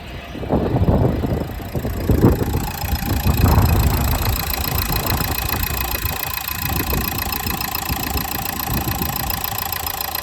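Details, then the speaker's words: 2015 Renault Megane 3/Fluence 1.5 dCi diesel idling after the stiff fuel return hose was replaced with a softer one: steady, even clatter with no hiss or uneven note, no leaks; sounds healthy. "sesini dinlemek kalıyor sadece şöyle dinleteyim ses tamamen kesildi şu an gaz vermiyorum Az önce gaz vermiyor Ken ultu vardı"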